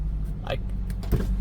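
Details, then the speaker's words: Toyota Celica idling, heard from inside the cabin after replacing two of four motor mounts, including the destroyed passenger mount: a low, steady hum with no thumping or shaking. The new mounts isolate the engine well. "I can't even hear the engine unless I have the door open."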